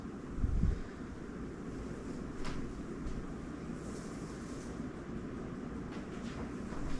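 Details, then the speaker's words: Newly installed Casablanca 4 Seasons 84U9D 52-inch ceiling fan on high: soft, even rush of air, quiet motor, no ticking or wobble knock, solid airflow; runs smoothly. "So you can hear the air noise, but it's very, very quiet. The motor, quiet. And the airflow is solid."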